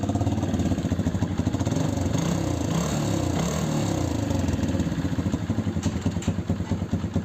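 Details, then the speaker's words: TVS Victor 3-valve motorcycle after engine repair: even, quiet single-cylinder idle with no ticking or knocking, engine healthy. The silencer is cracked. "Engine में कोई भी sound नहीं है बिल्कुल first class"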